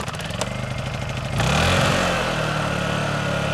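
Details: Honda EU2000i inverter generator, eco throttle off, choke used, powering a Roadtrek RV and starting a 10,000 BTU AC: small engine catches quickly, revs up sharply, then settles into a smooth steady hum; clean, healthy start.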